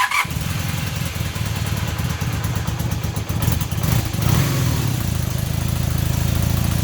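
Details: Super Dream motorcycle running on its original carbs with non-adjustable plastic floats, refitted and fuelled with no leaks, started stone cold on choke: steady even burble at idle picking up cleanly into smooth revs and settling back, no misses or rattles; carbs working.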